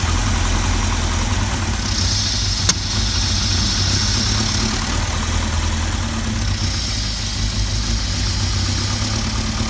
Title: Volvo rough idle